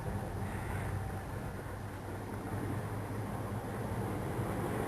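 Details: 2002 Dodge Ram 5.9 V8, about 98,000-99,000 miles, cylinder 6 misfire code P0306: deep uneven lope with stumbling thump at idle; plugs, wires, cap, rotor and an injector already replaced, owner suspects bad gas.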